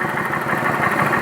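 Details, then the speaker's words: 2011 Kawasaki Vulcan 900 after fixing the pulley that caused an engine noise: steady, even idle with a smooth mid-pitched hum and no tapping or rattle; the noise is gone and the engine sounds healthy. "cadê o barulho não existe mais barulho"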